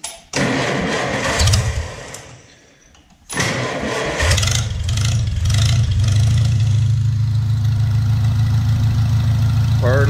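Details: Farmall Cub tractor engine after piston ring install and new grade-8 bolts, cold start at about 30 degrees with choke; a few cranks and a stumble, then steady even low idle, no misses, runs well.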